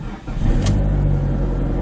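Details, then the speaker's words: PT Cruiser GT after preventative maintenance to cure idle/startup misfire, cold damp day, long sitting: quick cold start settling into steady low rumble, no stumbling or misfire; sounds way better, normal cold start. "So already just starting the car up from a cold start, it sounds way better. The idle isn't doing anything weird, which on a day like today, it probably would have."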